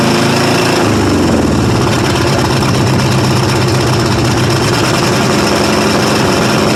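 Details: 1995 Ford F-150 5.8 L 351 V8, cold start, blows steam, suspected head gasket or cracked head: very loud, lumpy, stumbling idle with missing pulses, loading up on gas; several cylinders not firing.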